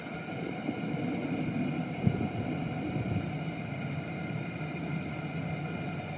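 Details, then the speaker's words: Cheap Chinese 12V diesel heater from eBay, with air purged from the fuel pump, reduced virtually to its minimum heat setting: soft steady fan roar, light regular pump tick about three times a second, burner ticking over steadily; normal running. "so as you can hear the diesel pump has actually been reduced virtually to minimum heat setting"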